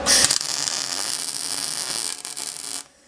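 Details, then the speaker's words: Harbor Freight Vulcan MIG welder on thick-to-thin tack work: harsh hollow crackle for about three seconds as the arc burns through the metal. "you hear that that's sort of hollow crackling when you burn through sort of hollow baby"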